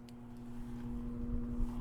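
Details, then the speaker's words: Coolman Gorilla PC case fans wired to Molex, running at full speed without control: constant droning hum over rushing airflow, quite noisy. "it's quite noisy now if you guys can hear it but it's making quite a lot of noise"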